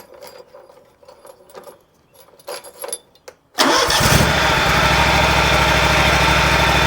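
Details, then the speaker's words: Exmark zero-turn commercial mower, Kawasaki FX651V V-twin, after oil change and new NGK BPR4ES spark plug: key clicks, engine fires at once and settles into a steady, even idle with no stumble or knock. "So, I'm going to take my keys and just verify that it starts."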